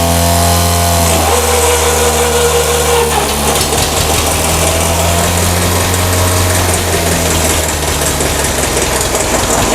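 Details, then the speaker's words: John Deere tractor after a pony motor tune-up, in neutral: the pony motor buzzes and revs, then the diesel is engaged via the decompression lever, catches and settles into a deep, even thump, a healthy start. "at night you can hear that diesel Motors start up it's always important once the diesel motor starts to remember to turn off your pony"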